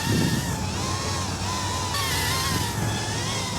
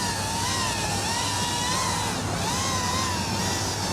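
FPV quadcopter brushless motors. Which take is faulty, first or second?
first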